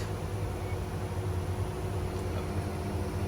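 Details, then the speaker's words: 2013 Lexus CT200h hybrid after spark plug replacement tune-up that fixed a morning cold-start rattle; quiet, even low hum with no ticks or shakes, runs smooth. "yep that's the car after i change the spark plug that's how it runs smooth"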